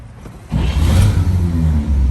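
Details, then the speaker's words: 1948 Chevrolet 3-window pickup with a 216 inline six, 3-speed column shift and 12-volt system, cranking: the starter spins it freely, then the six catches quickly and settles into a steady, even low rumble. A normal, healthy start. "of course the 12 volt just spins it nice."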